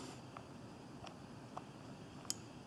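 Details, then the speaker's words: Volkswagen driver door lock module on the bench, running to the unlocked position: a few faint ticks end in one crisp microswitch click, the unlock signal back to the driver door module; normal switch action. "okay you hear the click so that's the signal back to the driver duel module says hey we're in an unlocked position right now"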